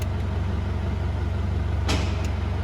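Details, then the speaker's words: Holden Rodeo/Colorado with manual 4WD wiring that bypasses the TCCM, engine running and shifting from 4 high: a steady diesel idle, then a single noticeable clunk as the transfer case engages 4 low. This is a normal engagement. "Now, if you listen, there should be a big clunk, well, not a big clunk, but a noticeable clunk when I engage 4 low."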